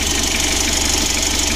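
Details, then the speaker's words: Mitsubishi L300 diesel idling with a fast, light ticking from the injection pump; the earlier humming, from a loose belt touching its cover, is gone after the repair. "untuk seorang itiknya ini pada injection pump ya injeksi pump nya itu suaranya etik begitu"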